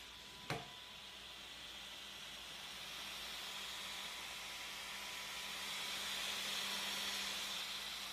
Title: Should my rc car sound like this (fan too loud)?